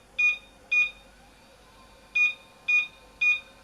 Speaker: Though, I hear those constantly repeated beeps, three at a time, which indicates a RAM failure.